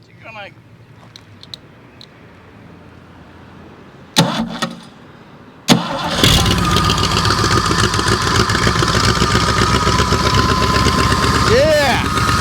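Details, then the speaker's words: Ford 351 Windsor V8 from a 1984 F-150, stored about 23 years, fires within a revolution and settles into a steady, even idle with no knocks or misses; runs normally. "We did it. It didn't even crank over like a full revolution. That is awesome. Super excited. Listen to this old girl run. 20ome years setting."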